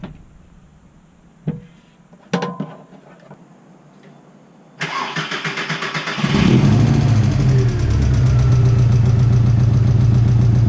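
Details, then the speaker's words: VW MK4 sat for nine months, just after replacing the fuel filter following a no-start: clicks, then it cranks and catches into an uneven, chuffing, lawnmower-like putter at idle; runs rough, cause unclear, owner plans fresh oil and transmission fluid. "all right so the car sounds like a lawnmower because it's been sitting for like nine months so it needs some new oil and these some your transmission fluid as well"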